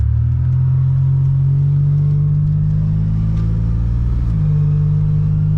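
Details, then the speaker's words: Supercharged Pontiac Bonneville SSEi under hard wide-open-throttle acceleration: loud, deep steady whirring drone that steps as the engine pulls; cause not identified; transmission also shifts hard and hunts gears when cruising. "yeah it's so loud it is loud hopefully you guys can hear it on camera but it is it is loud"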